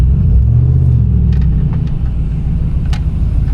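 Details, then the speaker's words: 2020 vehicle with about 50,000 miles, low on fuel, idling at a dealer auction inspection: smooth, steady low rumble with an even idle and no knocks or ticks; engine sounds healthy, normal idle. "It sounds healthy. We'll of course check it out more as it comes through the lane."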